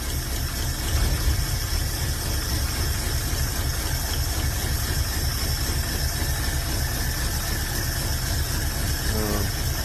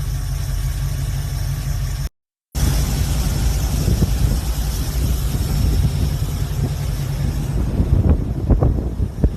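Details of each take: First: Carbureted V8, new carburetor fitted but still idling rough and lumpy with uneven loping beat and stumbles, as if not firing on all cylinders; plug-by-plug check underway, plugs found rusty and one oil-wet; misfire cause unconfirmed. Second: V8 hot rod with a new carburetor, choke set right and a new accelerator cable, on a weak temporary battery: steady, even low idle with no misses or hunting, holding speed; normal idle.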